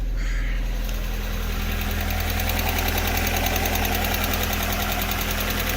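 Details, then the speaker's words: Alfa Romeo 145 Cloverleaf, restarted at idle: fast, light, even ticking from the top end over the hum, a sticking hydraulic lifter that went quiet once warmed up. "The little tick that we had from the top end was just a sticking hydraulic lifter, and that is nice and quiet now."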